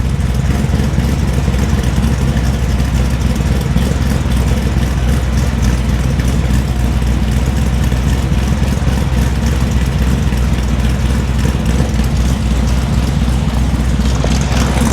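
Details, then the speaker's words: 1973 Chevrolet C10 Cheyenne Super 10 big-block EFI with a new quieter muffler about 10 dB lower, camera toward the rear: a steady low V8 idle with a faint, regular knock about four a second under the exhaust; owner thinks rod knock. "I know the camera's back there, but with a quieter muffler, this motor has a rod knock."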